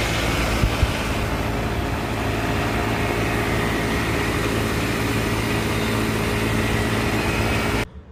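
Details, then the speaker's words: AC condensing unit running after the disconnect is reinserted, thermostat set to cool at 70 with 87 degrees indoors and 24 V control voltage confirmed: steady even hum with a low electrical drone and fan rush, no rattles or cycling; compressor and fan normal. "I want to check to see if my condensing unit runs obviously will want to see if the compressor turns on and if the fan motor turns on"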